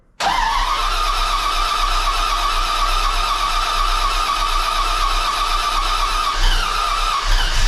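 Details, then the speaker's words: Freshly rebuilt 400ci small-block Chevy V8 with new bearings and rings, in a 5-speed S10, first start: cranks briefly, catches quickly and settles into a steady, even idle with no knocks, ticks or weird noises; healthy. "well that was a big success the 400 runs there's no weird noises"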